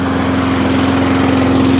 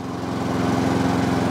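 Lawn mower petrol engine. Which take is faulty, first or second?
first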